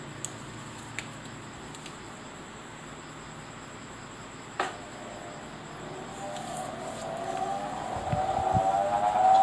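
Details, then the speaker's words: Household fan motor spinning up with a loud, wailing howl that climbs in pitch then holds; the fan weakens and slows after running a long time, sometimes stopping by itself. "นี่นะครับเสียงมันจะดังมากครับมันจะหอนโง่อย่างนี้เลยแล้วก็ถ้าเปิดไปนานๆจากอะพัดลมทำงานประมาณนี้ก็จะอ่อนแรงลงนะครับ"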